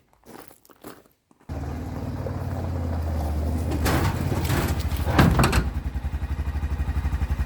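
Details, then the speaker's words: Quad (ATV) at idle: the revs keep rising and sagging unevenly over a rough beat, then it chokes down without any input. Hunting idle, cause not yet found, going to a specialist. "Hear how it runs? All weird. It's like always hunting for a different idol."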